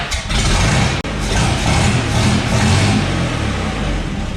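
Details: 1962 GMC 2-ton farm truck 305 V6, roughly 50 years old, unknown time since last run, pulled from scrap, with vacuum leaks addressed: catches and settles into a steady, fairly even low rumble with some revving, no knocks; runs well despite likely needing starter, carb rebuild, accelerator pump, plugs and wires.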